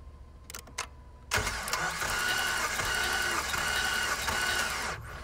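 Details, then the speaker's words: 5.7 HEMI from a Jeep Grand Cherokee during compression testing on cylinder one, reading about 160 psi: starter spins the engine evenly at about three compression beats per second with no stumbles; normal cranking. "now we're on to the compression test we've got the compression tester hooked up all right dad turn it over for a couple minutes we're on cylinder number one"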